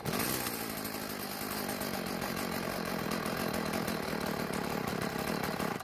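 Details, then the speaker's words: Stihl FS36 trimmer just out of storage, after priming the fuel bulb: it buzzes raggedly for a few seconds, then fades and dies. Lean idle; it needs more fuel. "well it keeps dying so it seems to need a little bit more fuel to stay idling"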